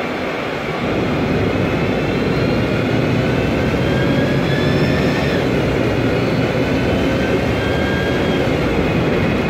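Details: 2007 MAN Lion's Classic CNG city bus, MAN E2876 LUH03 EEV turbo engine, Voith DIWA 864.3 4-speed automatic, noisy Voith gearbox: faint high whine lines drifting with speed over heavy road and engine roar; automatic transmission whine.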